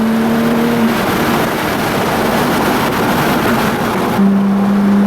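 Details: Tuned Audi B5 S4 under acceleration after resecuring the loose throttle body boot that caused a boost leak, low boost and limp mode, faults cleared: engine note climbs cleanly with no hiss, flat spot or hesitation; healthy.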